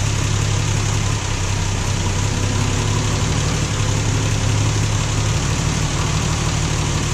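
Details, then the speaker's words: Plymouth Valiant Slant Six cold start after sitting seven months over winter, started in neutral so the transmission pump primes; steady even low idle with slight early tone shift as pump kicks in, normal. "hear the transmission pump kick in, I got it in neutral. If these have been sitting for a while, you always want to start them in neutral because the pump doesn't pump in park."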